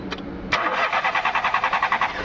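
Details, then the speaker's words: VW Polo petrol engine, fuel line disconnected during cranking: starter spins with even compression pulses about eight per second but never catches, no fuel arriving; crank no start from damaged fuel pump wiring. "तो यहां पे देख सकते हो fuel नहीं आ रहा है। Problem fuel का है।"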